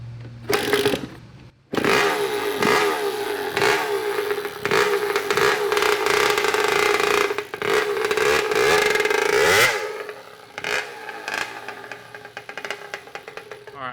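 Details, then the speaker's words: Kawasaki KX80 80cc two-stroke with a freshly cleaned carburetor, clutch still slipping: crisp ringing buzz rising and falling cleanly with repeated throttle blips. The engine sounds healthy and runs great. "sounds really good sounds awesome dude it sounds like it runs great"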